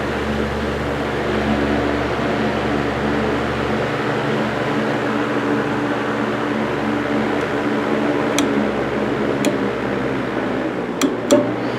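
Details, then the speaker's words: 1940 GE Vortalex 16-inch antique fan, heavy cast parts absorbing sound: smooth even airy whoosh with low steady hum, no knocks or rattles; running clean and healthy. "The blade sets produce a very clean and very soothing whoosh. Very satisfying and very nice to say. Very nice to fall asleep to."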